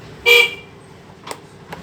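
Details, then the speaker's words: Honda Beat FI scooter that arrived completely dead (no horn, no starter, fuel pump silent), after swapping in a known-good K25 CDI/ECU: key on, fuel pump hums and one short horn toot sounds clearly with faint clicks; horn working, fault was the dead CDI/ECU. "Nah, ternyata ini kedengaran ya, di full pumpnya dengung ya, sudah ya, bunyi. Tuh, klaksonnya juga bisa aktif."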